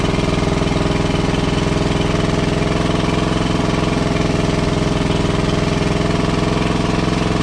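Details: WWII Chore Horse 300-watt charging set, model CH1 395-5, original 1940-41 paint, battery charger for communication equipment; after slight throttle-screw adjustment the single-cylinder engine runs an even, steady thump, about three beats a second, no misses or knocks; healthy.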